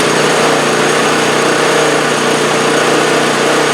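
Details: 2015 MTD snowblower single-cylinder engine, in for surging complaint: holds a steady, even buzz with no hunting or rise and fall after crankcase vent/breather work; runs smooth.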